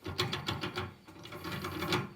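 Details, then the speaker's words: Jeep front driveshaft removed and its CV joints flexed by hand: rapid gritty clicks and rasps in short bursts from the rear CV joint, while the front joint is fine. Worn CV joint grinding. "as you can hear from the front CV joint it's fine rear seat we joined yeah that's bad like"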